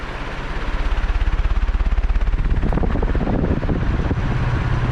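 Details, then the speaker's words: 56-inch EnviroFan 160F extra heavy duty industrial ceiling fan on a 4-speed wall control: fast, even thumping in time with the blades over a low whoosh, unusual for this fan; cause unknown. "I don't know what that sound is. It's really bothered me that that's in this video, because it doesn't usually make that sound."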